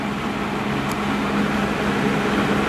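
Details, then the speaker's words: 12-inch Penncrest (Lakewood) 2-speed box fan, 1.4 A General Electric motor, run on low with grills back on: steady even hum and smooth air rush, no rattle or wobble; grills add stability, normal running. "I'll give it one more run with the grills on doesn't shake as much with the grills on even on low those grills add a lot of"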